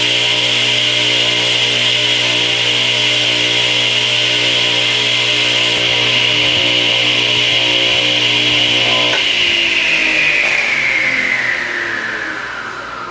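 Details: Craftsman 8-inch direct-drive table saw motor, model S48BRK-1820, 120 V 7.8 A 3450 rpm single-phase, run installed in the saw: a steady high whine over a smooth hum, then an even wind-down after switch-off with no grinding or rattle; normal motor run.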